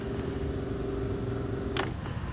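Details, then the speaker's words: 1984 Nissan Bushmaster pickup: electric fuel pump hardwired straight from the battery, running with a steady low hum and faint even whine when the wire touches positive, then a sharp snap. "You can actually hear the pump run when I touch positive. You can hear it back there pumping away, pumping fuel."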